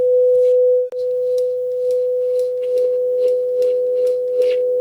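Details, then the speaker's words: Repaired JVC VN-300 receiver powered through a bulb limiter, on AUX 1 with a phone generator test tone: steady pure tone around 500 Hz plays cleanly, no hiss or crackle; normal output after repair. "Już nic nie trzeszczy, nie szumi, także chyba będzie dobrze, nie? Ale przełączymy sobie na AUX 1. Ja tu już mam wpięty sygnał testowy z generatora na telefonie."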